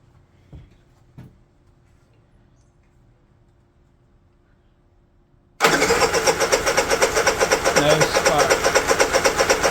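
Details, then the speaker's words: Honda EU3000is generator with new ignition switch, kill circuit jumpered: after a pause the electric starter churns steadily about four beats a second without the engine catching; owner says he flooded it. Cranks but won't start. "well now that I've completely flooded it let's run it by starting it by hand"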